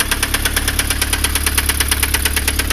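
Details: Chevrolet Astra 1.8 at idle, oil pressure light on: loud, sharp metallic knocking about seven to eight per second, heavy and rhythmic; engine knock, cause not yet identified.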